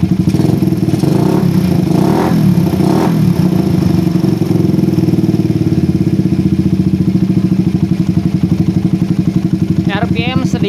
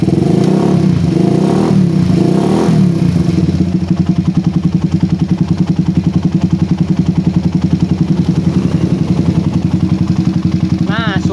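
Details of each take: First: Suzuki Satria FU with PE24 carburetor: lumpy uneven low-speed beat, revs hang then drop slowly; rich low-rpm mixture caused by an oversized, too-short needle jet; planned fix is moving the needle clip to the top. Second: Motorcycle with PE24 carburettor after correcting oversized, short head nozzle: steady even idle thumping about 3.5 times a second, no stumbling or hunting; idles cleanly.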